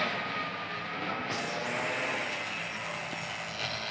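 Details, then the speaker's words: Vacuum pump evacuating the refrigerant lines of an LG dual inverter R32 air conditioner during installation, targeting about minus 30: steady, even, soft hiss and hum with no surging; normal vacuum with no leak. "Jadi nanti ketika pengaguman bisa akan sampai suara vakum terdengar lembut"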